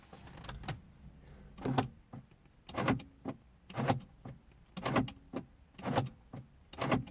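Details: 2003 Mercedes C220 W203 driver door lock after repairing a broken spring in the lock; crisp single firm lock and unlock clunks about once a second with no rattle or hesitation; normal door lock operation.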